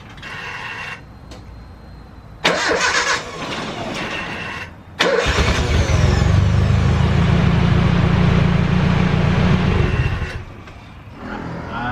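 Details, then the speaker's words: 1995 Nissan Hardbody truck after replacing the starter and moving the battery and relay box to the bed: brief quick cranking, then it catches promptly and settles into a steady run; the new starter engages cleanly. "in order for you to be able take out the starter it cranks really good once let me show you"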